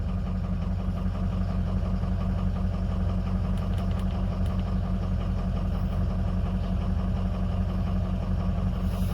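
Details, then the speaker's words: Ford 6.0 Powerstroke diesel after a remanufactured FICM replaced one with shorted coil drivers: steady idle with a faint uneven lope; contribution test shows cylinder 7 dropping and a weird turbo sound; down one cylinder from a faulty injector. "Yeah, I can feel it in the truck the way it's driving, or at least down one cylinder."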